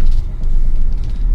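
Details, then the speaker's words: Hyundai Creta petrol with a pick-up problem, after the four plugs and the broken ignition coil were replaced: deep even rumble crawling over a speed bump off idle on full clutch release without throttle. No stumble or judder, where it used to stall. Idle holds steady at 900 rpm; it now pulls smoothly. "गाडी easily pass होत आहे. पहिल्यांदा clutch जरी सोडला असता तर गाडी बंद पडत होती. बघा फक्त विदाउट रेस न करता गाडी एकदम स्मूथ झालेली आहे."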